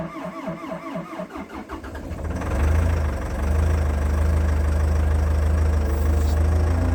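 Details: Abandoned old CAT excavator diesel, not run in months, started cold on new batteries: rhythmic cranking at a few turns per second, then fires and settles into a very low, steady idle, held low to protect the rebuilt hydraulic pump; normal cold diesel idle.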